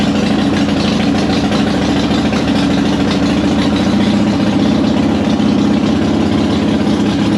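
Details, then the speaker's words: 2005 Harley-Davidson Softail Heritage Deluxe, choke out, after wire-brushing the corroded positive and negative battery cables that caused slow cranking (not the starter). The loping V-twin idle holds steady and even, with no misfires, clatter or stumbles. "glad it wasn't a starter issue it looks like it was just a issue uh on the contacts with the battery"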